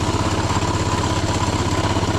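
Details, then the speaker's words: Small single-cylinder postie motorcycle on a long ride home, rider checking oil while running: lumpy rough idle with loose clattering rattle on each firing pulse; cause not pinned down, bike later died. "think he's making some horrible noises I don't think you should stop I don't think you should change gear or Stu oil that means you got stop oh you've done it now it sounds like [ __ ] yeah feels like [ __ ] too"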